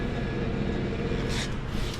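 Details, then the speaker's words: Perlick bar refrigeration unit after TXV replacement, system freshly charged and running: low, even hum with a brief soft hiss. It runs normally and pulls the temperature down. "I got the system all charged up. It's running. We're coming down in temp."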